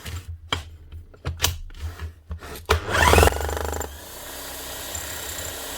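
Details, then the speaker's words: Bosch GSH 11 E demolition hammer, about 25 years old, after repair with two new O-rings and fresh grease: handling clatter, then a short burst of fast, even blows and a steady motor hum; hammer action healthy. "lovely job that's her up and running again two O-rings some new grease what are be wrong with that"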